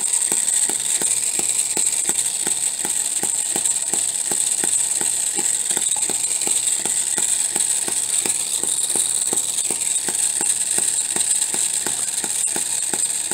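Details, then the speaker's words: Homemade miniature 4-stroke hit-and-miss engine (half-inch stroke, bore slightly over half inch) running at about 1500 rpm. Crisp light ticks over a steady hiss as it fires then coasts while the governor locks out the exhaust valve; normal hit-and-miss running. "so you can hear it fire and then coast and uh looking right through here you can see that little governor expanding and that's when it it locks out the exhaust"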